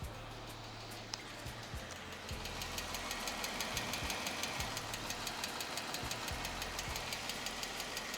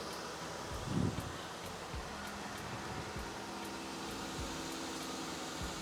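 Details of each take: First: 2015 Jeep Wrangler 3.6L Pentastar V6 idling warm after about five minutes' running, hood open: sharp even tick about three times a second, louder from the passenger-side bank and intensifying when hot; worn rocker arms and pushrods, replaced via timing chain removal. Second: 2015 Jeep Wrangler Rubicon 3.6L Pentastar V6, first start after rocker arms and pushrods replaced via timing chain removal for engine tick, fresh oil: quiet smooth idle, no valvetrain ticking; normal.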